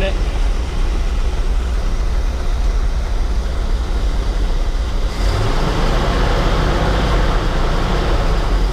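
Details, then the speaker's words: 1984 Chevy Champion motorhome, first start after years off the road, fed by temporary electric fuel pump and inline filters: deep steady rumble, even beat, no knocks or misses; runs under its own power, normal running. "Let's uh fire her up here we go running under her own power go ahead"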